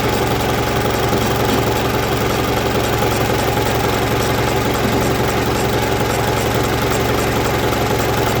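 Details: 1965 Gardner 6LXB 180 six-cylinder marine diesel, test run after restoration following failure at 80 hours: even chug at about 220 beats a minute, no misses or knocks; healthy idle.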